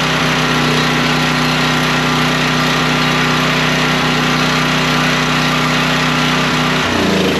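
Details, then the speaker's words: Generator after parts replacement, running with a vacuum cleaner plugged in as a load: it holds a steady, even drone with no misses or surging, settling briefly near the end; it runs smooth. "okay she seems to be running smooth I think that's uh all that one's going to take to"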